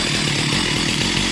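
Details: Stihl MS 361 chainsaw after fixing a no-spark, no-start fault (new fixed-top plug; ignition module or flywheel suspected), started with chain brake locked: loud, even high-revving two-stroke buzz with crisp firing and no misses, running normally.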